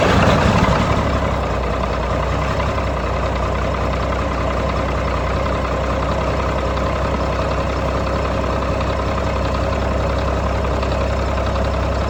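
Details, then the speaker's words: 1995 GMC TopKick cab-chassis truck with a Caterpillar diesel, first start after acquiring it: even, low diesel clatter settling into a steady idle with no knocks or stumbles, a little exhaust smoke, good oil pressure; sounds mechanically healthy. "It's got a little smoke to it. Sounds good. Sounds filthy."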